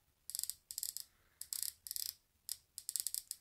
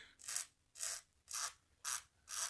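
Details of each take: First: Corsair K95 RGB Platinum keyboard volume wheel, held close to the mic and scrolled upward: bursts of rapid fine clicking from a loose white plastic film behind the wheel that seems improperly glued. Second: Corsair K95 RGB Platinum volume wheel scrolling down: even ratcheting bursts about two a second with clean detents and no odd clicks; normal (the fault click occurs only scrolling up).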